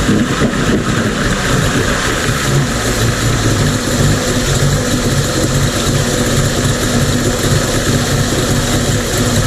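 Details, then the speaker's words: Mercury 50 two-stroke outboard (9M9XM00591C1, model 1050412FD) in a pond test after a fuel filter replacement and inlet airbox reseal. Previously it idled rough and stalled after about a minute. It now holds a steady, even idle with no stumbling or dying: normal idle. "That's an idle. Fuel filter, baby. That's it."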